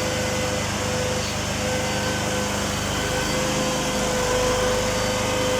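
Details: Petrol PRAMAC generator in for repair after a no-start complaint, now started: small engine drones at a steady speed with an even, unbroken note and no knocks or misses, running healthy.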